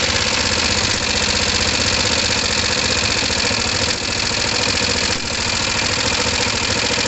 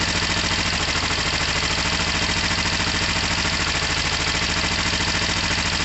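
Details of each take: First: Kawasaki ER5 motorcycle, still cold, with raspy idle and occasional sharp pops spitting back through the carbs; owner thinks the fuel pump or filter isn't delivering enough fuel, leaning them out. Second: Kawasaki ER5 twin, first start-up on choke after incident and carb work: even, steady idle with regular exhaust beat, no knocks or misses, no smoke; normal idle.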